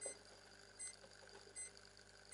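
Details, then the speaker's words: Philips 21GX8568/59R CRT TV (ANUBIS S chassis) that won't power on, no standby, LED unlit: four short, thin high-pitched chirps about every three-quarters of a second from inside, not from the speakers. "Слышите? Пи-пи-пи. Это не в динамиках. Это где-то изнутри такие писки идут."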